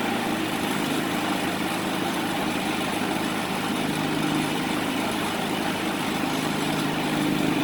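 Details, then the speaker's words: Predator 3500 generator after cleaning the jet and adjusting idle to fix surging and stalling, loaded with a 5000 BTU air conditioner on high: a steady, even engine drone with no surging or hunting, running smoothly. "doesn't sound too bad"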